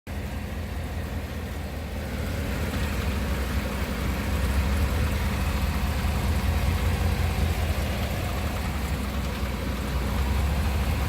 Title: slight knocking noise - 2018 Cadillac escalade